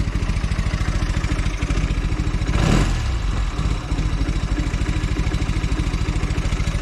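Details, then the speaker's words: Velocette LE after clutch and points adjustment and carb needle reset to middle of five positions: even, regular idle pulses with one throttle blip settling straight back, smoother than before, previous miss or tick gone. "Seems a lot better. It sounds like it's running smoother at idle as well. It always used to have a little bit of a miss or a tick to it sometimes."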